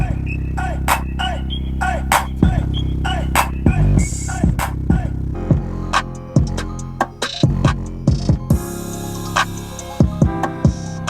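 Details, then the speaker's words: Car speaker after the fix, with the blue caps inside the speaker box moved so they no longer hit the plastic: bass-heavy hip-hop plays with no buzz or rattle. Finding: clean speaker playback, no rattle. "okay so you just heard there whenever i just played that music there's no more rattling and all i did was move those blue caps to a different spot"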